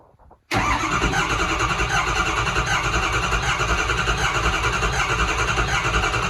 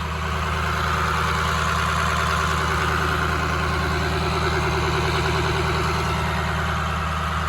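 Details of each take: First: First start of a 2006 6.0 Powerstroke diesel swapped into a 2003 Ford F350: silence, then the engine is already rumbling with uneven, lumpy firing and no misses or knocks; hard to start, and a nest blew out of the tailpipe. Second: 2003 Ford F350 with a swapped-in 2006 6.0 Powerstroke diesel, after a coolant flush and fill, held at about 1200 rpm high idle to purge air bubbles while warming up: even, steady clatter, no knocks or surging; running healthy.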